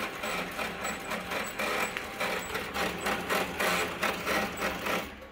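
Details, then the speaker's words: Unidentified slim Canon copier-printer from a dumpster, two A4 trays, powering up before a copy: irregular clattering and whirring pulses, about three or four a second; sounds rough, maybe just clearing itself, cause unclear. "didn't sound terrific did it but uh maybe it was just clearing itself or something"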